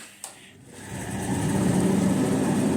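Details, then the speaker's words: Hoover 9 kg condenser tumble dryer: a click and a motor buzz with no drum movement until the drum is pushed, then it hums up to a steady run; the motor capacitor has failed. "so the way to test the motor capacitor is I can hear it buzzing so it's trying to do something"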